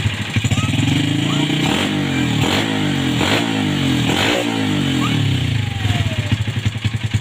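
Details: 2007 Yamaha Vega R motorcycle after carburettor cleaning for sputtering: engine idles evenly and takes four quick throttle blips cleanly, no stutter or misfire.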